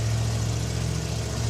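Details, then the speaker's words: Rewired off-road Challenger with a carburetor: two pedal pumps, fires right up and settles into a low, steady idle with an even beat and no misses, knocks or surging. "Two pumps. Ah, fires right up. Oh, this is going to be great. Runs great."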